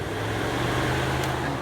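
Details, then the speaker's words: Saturn radiator fan powered through a tester adapter plugged into the fan relay socket: even low humming drone with no rubbing, ticking or wobble; wiring and fan confirmed good. "And you can see that it's spinning. You might not be able to see, but you can sure hear it."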